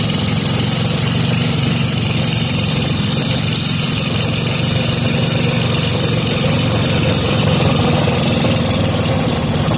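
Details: Briggs & Stratton 5 hp engine with gear reduction, restored, after air-fuel screw adjustment, started without choke: steady, even idle with a smooth low putter and no misses or knocks; normal idle.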